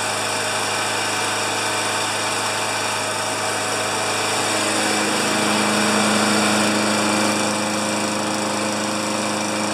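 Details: 29-year-old Rally electric-start lawn mower after cleaning under the hood: small single-cylinder runs at steady speed with constant buzzy drone, no knocks or misses; healthy.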